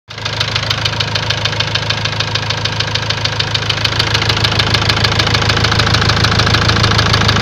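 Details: Ford Transit diesel at idle: a sharp, regular knock about three times a second over the steady idle. Afterwards a warning light came on, the engine stopped gaining revs, and codes showed high-pressure calibration data, cylinder balance and a leaking injector.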